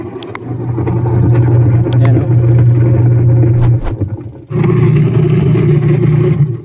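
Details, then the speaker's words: Washing machine runs with loud rough low drone and uneven knocking clatter; gearbox found worn and loose, owner first suspected pulley bearing. "sira na yung gearbox yung lumalagok ano siya nagloose na siya kaya yun Binuksan ko kanina hindi ko na pinakita ay Yun nga ang sira"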